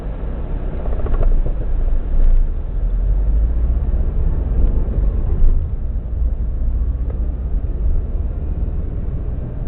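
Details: 2002-03 Subaru WRX EJ205, warm idle with low lumpy rumble and occasional uneven beats; cylinder 3 misfire, no ticking, spark plug ruled out, engine shakes; supposedly a cracked valve.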